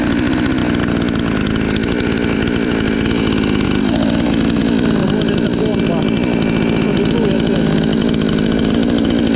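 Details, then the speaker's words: Chinese counterfeit chainsaw sold as a Stihl, newly assembled, being run in on throttle: started first pull; even high-pitched buzz holding steady with only a slight dip under throttle, no stumbling or surging; runs fine. "And you hear how it hums and from the first time it started at all I'm glad with the saw everything is fine"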